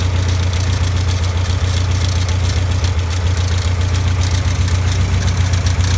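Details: Caterham Super Seven at idle: even, fast rattle about four beats a second over a steady low idle, from the alternator bearing.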